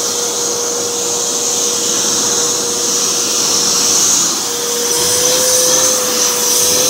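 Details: V H2O Turbo canister vacuum with four-speed motor: smooth high-pitched motor whir with steady hiss, pitch lifting partway as speed is turned up; clean, even normal running.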